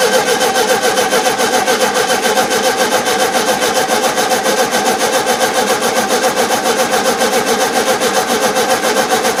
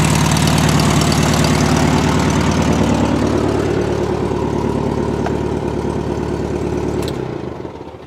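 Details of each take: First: 1971 VW Super Beetle with freshly cleaned carburettor; long steady cranking at about three and a half pulses a second that never catches; starved idle circuit, owner suspects over-tightened idle jet with damaged seat; loosening it let it run. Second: 1971 VW Super Beetle air-cooled engine at a loud, steady, even idle with no misfire, then winding down at shutoff, after carburetor cleaning, valve adjustment (all too tight) and suspected debris in the tiny jet by the size 60 idle jet; idle later became inconsistent again.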